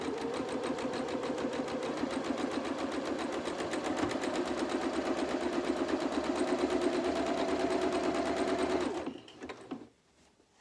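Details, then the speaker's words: Sewing machine stitching steadily with a light, loose rattle as the bobbin thread runs nearly out; bobbin needs rewinding. "You can hear the death rattle going on in my sewing machine for my bobbin, so I'll have to wind another bobbin, but we're not far off finishing, but I'll probably need some more."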